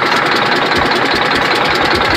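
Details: Detroit Diesel Series 60 11.1 in a Freightliner FLD120, hard cold start with bad injectors; steady sharp rhythmic knock several per second over clatter at idle without throttle; owner suspects sticking valves, unconfirmed; engine knock at idle.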